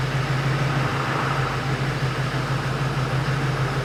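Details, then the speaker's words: Replacement Duramax LMM diesel just installed, fresh oil and filter, coolant topped off, fuel system primed, first start: steady, even idle with smooth low drone, no knocks or misses; running good. "she's running good so far"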